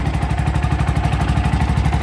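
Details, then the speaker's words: Bajaj RE single-cylinder after new ECU and throttle body fitted: steady, even idle putter with no misses or stumbles; normal idle. "Yun, andar na. So ayan, andar ng unit natin."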